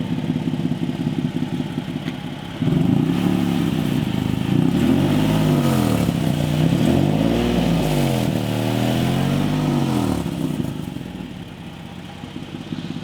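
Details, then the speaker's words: Nissan 370Z with stock exhaust manifolds, test pipes and catback, warmed up: rough raspy puffing rising with throttle blips, sharpest at higher revs; hefty exhaust leak at the front, possibly missing gasket or loose fastener; headers planned. "it kind of sounds like it's coming from right here ish so it sounds like it might be the front part of the downplay"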